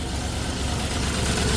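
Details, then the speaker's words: 1964 Oldsmobile 394 V8 right after start-up, not run in a while; steady low idle with faint puffing tick from an exhaust leak under the left-hand manifold; tick may smooth out once oil pressure builds. "hang on there's a little exhaust leak on the left left hand"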